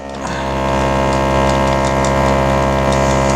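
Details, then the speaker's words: Rebuilt mid-90s GM Cadillac DeVille/Eldorado HVAC programmer on test bench: steady hum, motor changes pitch and faint clicks as vacuum switches shift on defrost; vacuum switching working normally. "there's it's on defrost you can hear the motor change pitch that's got vacuum there"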